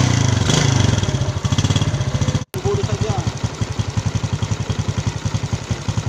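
Small single settles into a steady, even putter of about three beats a second with no rattle or roughness.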